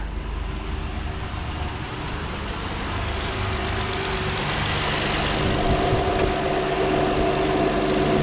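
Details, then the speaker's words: 2012 Acura TL after drive belt tensioner replacement: smooth even idle with no chirp, squeal or rattle from belt; belt stays aligned, front accessory drive healthy. "yes it is it's still everything line up with no noise everything"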